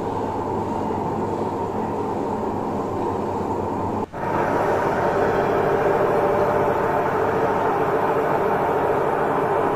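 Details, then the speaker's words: Samsung front-load washing machine, loud constant roaring rumble with heavy vibration while the drum spins, though pulley, belt and counterweights were checked as fine; drum bearing rumble. "तो यह आप देख रहे हैं इस तरीके से यह वॉच कर रही है बहुत ज्यादा साउंड कर रही है"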